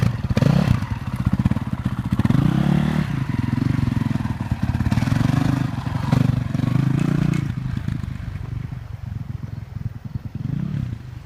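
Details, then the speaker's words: All-original, never-opened 2002 Honda CRF450R dirt bike single-cylinder engine: catches and runs with a few throttle blips, then settles into an even beat with no knocks or rattles; healthy. "This is all original. And everything is in excellent running condition."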